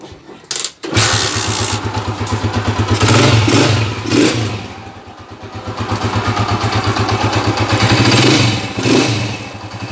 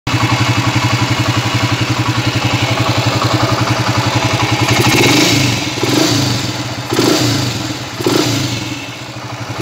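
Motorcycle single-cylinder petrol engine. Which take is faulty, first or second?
second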